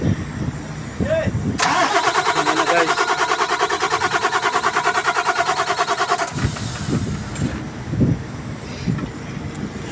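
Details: Tadano crane (PNR1) diesel engine, hard starting: the starter churns at about three even beats a second for roughly five seconds without the engine catching; prolonged cranking.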